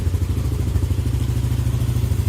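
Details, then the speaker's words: Single-cylinder Yamaha motorcycle idle after installing an automatic ISC and resetting it (error 37 had persisted, faulty used ISC suspected): steady, even thump with no hunting, surging or stumbling; idle normal. "Nah udah nyala ya guys motornya dan kondisinya normal ini seperti ini"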